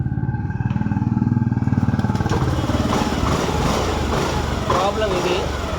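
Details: Honda Dio BS6 scooter that died after 1–2 km and wouldn't restart due to no fuel supply; after fuel supply fixed, it fires and settles into a steady, even putter, running cleanly.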